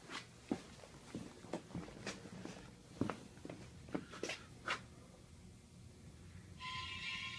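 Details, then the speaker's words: Surplus hydraulic lift table, used as a motorcycle lift and unused for a long time, starting up on compressor air. Scattered clicks and knocks give way to a steady high hiss near the end, suspected to be an air leak. "Oh, it's doing something. Ooh. Sounds like we got an air leak."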